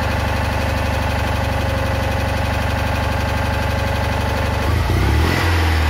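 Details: Citroën Ami 8 flat-twin, hot, coil warm: idle with an uneven, stumbling beat and irregular gaps, then a throttle blip; one cylinder drops out intermittently; owner is certain the ignition condenser is at fault.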